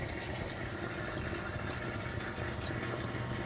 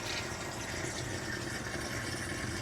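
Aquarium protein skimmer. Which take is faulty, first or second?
second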